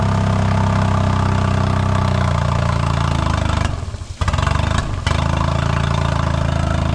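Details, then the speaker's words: 2008 Honda 20hp four-stroke tiller outboard (electric start), first run after unseizing: steady running, then the note sags and nearly dies when throttle opens slowly before recovering; hesitation, carb needs cleaning, a boot leaking. "Every time I do a throttle really slow, [Applause] it's not quite running right."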